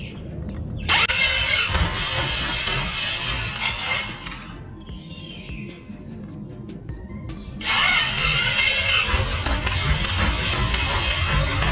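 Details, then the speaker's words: Italika scooter running with CVT cover off: harsh metallic clatter and rattle that drops away mid-clip then returns; the variator and clutch spin badly wobbling ("muy chueca"), with a broken clutch spring. First suspected as a rod knock, it wasn't. "si vieron cómo esto está girando como loca."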